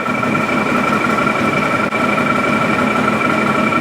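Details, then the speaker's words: 2017 Odes side-by-side idling with an uneven, slightly stumbling beat under steady high-pitched tones; the ECU shows the second cylinder super lean and lengthening injector dwell time to add fuel. "second cylinder there showing super lean condition, and is trying to open that longer, that injector dwell time longer to get more fuel in there."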